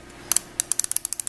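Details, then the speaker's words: Hotpoint refrigerator with a cold freezer, warm fridge and ice buildup at the back: the defrost timer is turned by hand with its rear screw and clicks through about a dozen crisp ticks, with one harder click where the terminals switch. It is being checked while troubleshooting the defrost system. "this has a screw back here and you can turn it you can actually hear it click"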